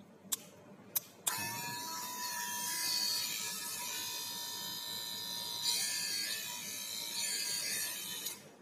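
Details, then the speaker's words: Wahl Senior cordless clipper before servicing, with its blade misaligned and the inside dirty and full of hair: a thin, high, tinny, noisy buzz after switch-on. "Ya bisa kalian dengar sendiri untuk suaranya ini lumayan cempreng atau lumayan berisik."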